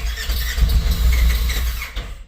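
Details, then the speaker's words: Fuel-injected General XP unused for 3 months, cold start, key cycled twice to prime fuel; owner suspects a low battery. Uneven, labouring crank for about two seconds nearly catches then drops off: hard cold start, cranking without firing. "Oh, almost. Now you got fuel injection. You shouldn't have to get a throttle, but Come on. Now I'm losing battery."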